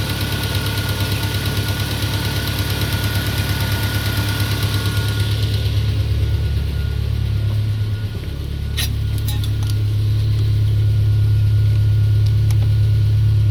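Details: Peugeot 407 2.2 petrol, cold idle, Total 9000 5W40 oil: even knock near three per second over a low engine note. It appeared after ring replacement, valve lapping, valve stem seal replacement and idle-air channel cleaning. Origin unknown.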